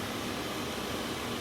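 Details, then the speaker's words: Mercedes Sprinter with key out of ignition, battery dying overnight: steady even blower fan rush with engine off after battery reconnect; blower motor stays on with key off, regulator and wiring being checked. "I hope you can hear that and right now the key is out of the ignition okay but the blower motor is running so this is a problem"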